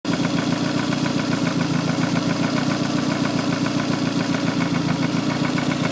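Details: Lancia Delta Integrale 16v petrol engine at idle with a steady, regular knock about three to four beats a second; owner suspects rod knock, crank or valves, unconfirmed.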